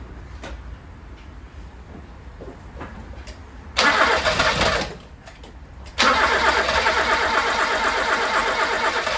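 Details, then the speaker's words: 1980s Toyota Tercel barn find, first start attempt after storage, carburetted: two bursts of steady cranking about three turns a second, never catches; owner suspects empty fuel or carb float bowl, not confirmed; crank no start. "so it sounds like it wants to go it wants to play but it ain't going yet I don't know if it's because we're out of fuel"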